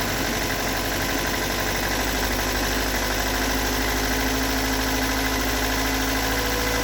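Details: Stock bigport 4AGE in Toyota AE86, about 195,000 km on replaced cluster, cold start: petrol four-cylinder idles rough and uneven with loose irregular knock over engine note; cause not located.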